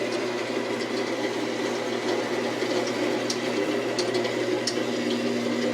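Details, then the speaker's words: 1948 Delta Milwaukee 14-inch bandsaw, open-stand version: steady even hum with a light hiss and no rumble or buzz. Rubber washers were added at the wheel covers to cure a previous buzzing rattle. Runs normally. "It's a very smooth sounding saw. One of the best sounding bandsaws I've ever heard were these Delta Milwaukee vintage 14-inch bandsaws."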